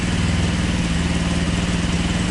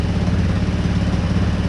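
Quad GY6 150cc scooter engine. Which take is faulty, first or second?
second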